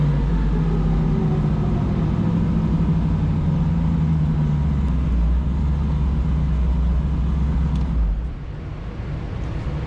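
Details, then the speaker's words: Foxbody Mustang on E85 on dyno, low dome pressure after repairs: deep, smooth, steady rumble under load for eight seconds, easing off evenly with no misfire or popping; running clean. "so let's let's see what happens this will be the moment of truth I guess it starts up real nice"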